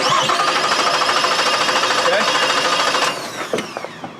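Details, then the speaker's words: Cranking with good compression: steady, even starter cranking at about three pulses a second, every compression stroke the same, indicating good compression. "One more time through the edits. Here's what it sounds like. Good compression."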